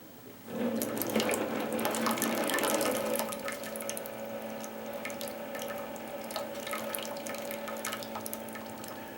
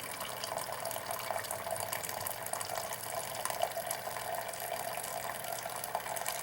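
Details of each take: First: Classic Keurig K60/K65 that won't brew, descale mode (continuous pump) via secret menu; low steady pump hum under loud splashing, water can't exit the needle and comes out the overflow — clog in the head/top end. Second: Classic Keurig K60/K65 after cleaning nozzle and pump blockage; quiet steady trickle into the cup with soft gurgles, pump not straining, then refilling internal reservoir — normal brewing, fixed.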